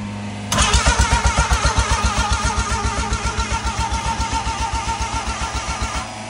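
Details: Rotary-engined van built from old parts: a long run of even cranking pulses, about four per second, for several seconds without catching, with fuel pump confirmed running. Hard starting; owners plan to pull and clean the spark plugs.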